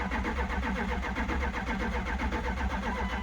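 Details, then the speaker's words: 1998 Dodge Durango sat 10+ years, on jumper cables with fuel pump now running: starter cranks about two and a half turns a second with uneven pulses, never fires; injector firing questioned, not confirmed. "Come on. Wonder if injectors are firing."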